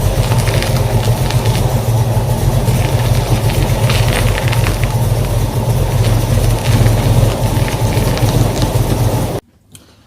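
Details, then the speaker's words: 1966 Ford Mustang power steering after a fluid flush (it had turned noisy after a track day with low, dark fluid), engine running: steady low rumble, pump thump much quieter with fresh fluid at correct level; normal pump operation. "as you can hear the thump is a lot quieter now that the new fluid circulated levels are correct I think the flushing worked well"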